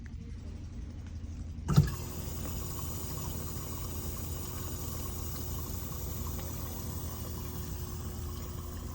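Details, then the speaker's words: Whirlpool dishwasher that is not washing, wash cycle started: a sharp click, then a steady low rush of water with no pump whine; the dishwasher is filling normally before the wash pump is checked. "Start, and the unit will let water in. You'll hear it."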